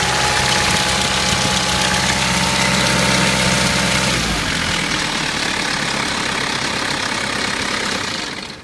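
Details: 1993 Mitsubishi Pajero 2.8 diesel automatic at idle: fast, fairly even rattle, three or four a second, until shutoff; owner suspects timing chain, unconfirmed.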